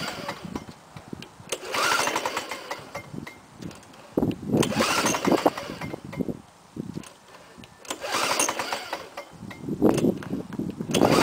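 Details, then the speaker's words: 1987 Lawn-Boy 5127 mower, carburetor cleaned last year after 10 years unused, no primer, manual pull start on choke then off choke: repeated pull-cord bursts with brief sputters that never catch; cranks but won't start, likely slightly flooded. "okay take it off choke uhoh that's a no start okay so I think I got it a little bit flooded"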